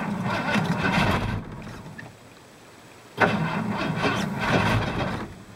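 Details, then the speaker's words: 1985 Ford plow truck, sat since last spring, cold start attempt at about -5: two sluggish, labored cranking bursts with a pause, engine never fires; owner says battery isn't happy, suspects it needs charging. "oh my battery ain't too happy but she may go"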